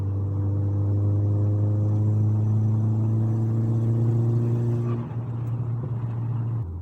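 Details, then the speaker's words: 1.8T with K04-064 turbo upgrade and 70mm turbo-back exhaust with cat and Jap-style rear silencer, cruising at 120 km/h, 3,000 rpm, light throttle: a deep, steady booming drone from the exhaust, not the turbo. "But like I said, it does get a bit drony at 120k plus. This is the big problem, but this is not, obviously that's not the K04-064 problem, that is an exhaust problem."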